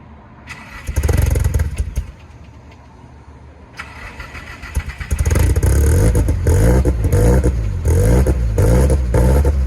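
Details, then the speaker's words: Nissan S14 at first start after return from another shop: catches and settles into a lumpy uneven idle around two beats a second, stumbling and loping, smells of dumping fuel and blew a smoke ring; rough rich running needing a tune. "Dude, when we started it, It smells like it is dumping fuel for sure."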